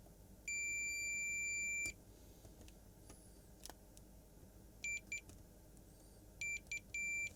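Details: Samsung 55-inch TV backlight strip connections: one long steady high beep then short bursts over a quiet room, every connection now good.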